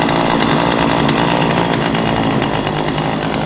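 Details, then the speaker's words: Old two-stroke chainsaw unused about 5 years, just started after choking: even, buzzy idle that settles slightly lower once the air filter is refitted, which is normal; the idle is healthy. "okay so we got it running Let's uh simple as that now it seems to be running pretty well but we have to get the filter"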